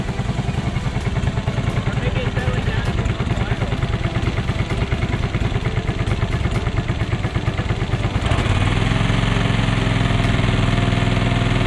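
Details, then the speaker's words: Free John Deere 425 all-wheel-steer lawn tractor, first start after draining old fuel and refilling the carburetor, no coolant in radiator: smooth, even fast beat settling into a fuller, steadier note; ran surprisingly good, normal running. "that run surprisingly good maybe we can drive it off the trailer"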